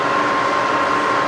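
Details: Rebuilt Bridgeport milling machine, 42-inch table, variable speed head run up: even, steady spindle hum with constant mid-pitch tone, no knocks or grinding; normal spindle run.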